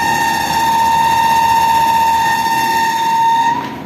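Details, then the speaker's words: Window AC fan motor runs fine for one to two minutes, then starts making noise: loud steady whistling hum near one kilohertz, then cuts off; fan motor noise, cause not yet found. "मैं इसको problem है यह इसकी motor जो है एक या दो मिनट चलती है उसके बाद वह साउंड देना शुरू कर देती है"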